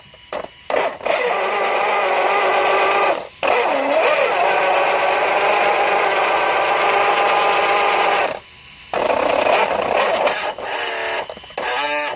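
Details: Losi DBXL-E V1 electric buggy, Castle 2028 motor with Max5 ESC, wheels held: rough, gritty grinding whir in bursts under throttle after it lost power and stopped moving; first thought pinion, found to be failed motor bearings.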